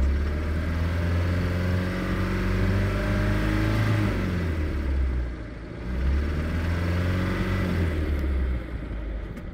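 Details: 1972 Mercruiser 3.0L 181 cu 140hp marine petrol engine idles with a low, regular knock, about four a second, all plug wires attached. Crank and rod bearings looked good when pulled and a lower unit swap didn't help, so the cause is unknown.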